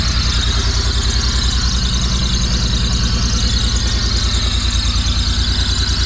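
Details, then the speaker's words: 1985 Pontiac Fiero, first start in 19 years after fuel tank cleaned and fuel pump replaced: steady loud high squeal over even running, a small vacuum leak. "little vacuum leak a little Belcher"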